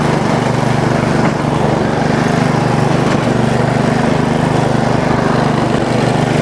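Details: Bolens riding mower single-cylinder engine after valve cover cleaning, homemade gasket and overnight battery trickle charge, started on choke: steady even drone at constant speed, no stumbles, knocks or surging; normal running.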